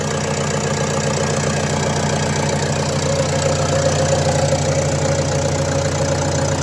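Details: Renault Trafic 2 phase 2, 2.0 dCi M9R 780 diesel, after replacing a failed PCV valve (fault: lack of power, high fuel use): even idle with a steady, regular beat and smooth hum, no knocks or misses; runs much better.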